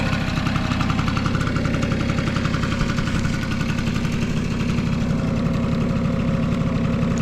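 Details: Vintage Honda Squash AB11 scooter, 12V electric start: steady even idle putter at about 220 beats a minute, no knock or rattle; quiet, healthy engine.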